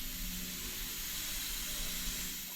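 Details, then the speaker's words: Wig-wag model steam engine on its first start, running on compressed air as pressure is slowly raised: steady sharp hiss of escaping air, with bubbling visible at the valve face. Air is probably leaking past the valve face before the engine runs freely. "I can see a little bit of bubbling there so that face is probably not working nice"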